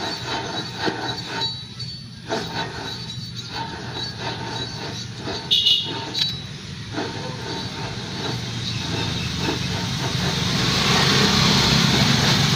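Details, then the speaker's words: Vehicle wheel bearing, removed and spun by hand. A gritty, rough whirring hum swells into a rising roar. Worn wheel bearing, which is said to hum more under load with the vehicle on the ground. "So yan yung tunog ng pasira ng bearing, umuugong na yan siya, lalo na pag may load guys, pagka nakababa yung sasakyan."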